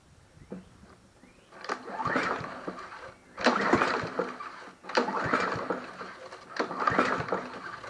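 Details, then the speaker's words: Snapper SP-110 22-inch RWD mower with a Honda GCV160, valves just adjusted, spark present: four easy pull-starts spin over and never catch. The compression test found no compression, hence no start. "you know what I'm not feeling no compression thank you foreign I wonder if this thing has no compression"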